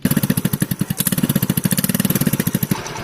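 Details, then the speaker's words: TVS scooter (Wego/Jupiter) after the bend pipe was replaced and the silencer welded; the idle exhaust note has even, quick putts with no blowing or rasp, back to the original factory sound. "கம்பெனியில் original sound வந்துடுச்சு."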